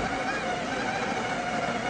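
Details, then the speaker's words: Breville Barista Pro built-in grinder at setting 19 of 30, bumped to activate it. Soft, even whir with a steady mid-pitched hum and no rattle or strain; running quietly and normally. "i liked how quiet that grinder was yeah carolyn it is really quiet so it's not um it's not going to wake everybody up in the house"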